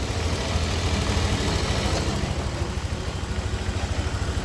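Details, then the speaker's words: Honda Click scooter, warmed up, after resetting and reshaping the weak cam chain tensioner; soft even low idle with no chain rattle or ticking, now quiet, normal idle. "na to. Pinainit namin. Yan, tahimik na."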